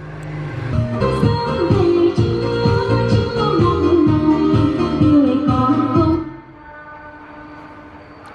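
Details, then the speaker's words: 4-channel audio amplifier playing music, then the output abruptly drops to a faint hum as the output power relay releases intermittently, cutting sound in and out. "mình có két qua thì là do cái con Rơle cấp nguồn đầu ra này nó cứ mở to hoặc bạn cứ để đấy nó lại nhả ra một nhãn Em à ngoài dây sao nó lại đóng lại nó rất là chập chờn luôn mọi người nhé"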